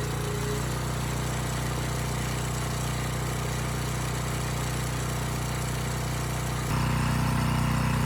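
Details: Abandoned Powermate generator, no AVR, running without load: steady even hum, no hunting, misfire or knock; voltage adjusted from about 135 V down to 130 V, normal idle.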